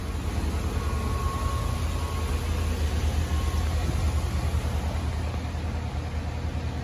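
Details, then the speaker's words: 87,000-mile engine, cold start after new spark plugs and wires, codes cleared: low, smooth, even idle, no misfire or rough idle; problem fixed. "Sweet. Sounds really good. You can't even hear it running, of course. It's all factory. Sounds really good. No miss, no rough idle."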